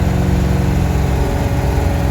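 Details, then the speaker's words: Warm carbureted race car driven on the highway, running rich at 11.5:1 AFR: uneven, stumbling idle that misses after stopping. Owner suspects the coil heat-soaking: misfire at idle. "Once I would stop, it would seem like the coil would just kind of heat soak or something like that, and then it would just start missing."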